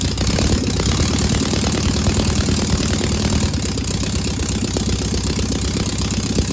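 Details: Single-port air-cooled four-cylinder engine idling after its first start on a known good carburetor: busy, even, chuffing idle with no misses or odd knocks. It fired right up with no smoke or leaks, a good running engine.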